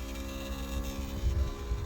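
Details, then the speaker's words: BMW 7 Series E65/E66 hydraulic trunk lid, pressing close: low steady pump motor hum with faint throb heard on the right side, but the lid doesn't move; parts must be removed to diagnose. "If we want to open, okay, the same thing. I can hear the motor, but nothing happens."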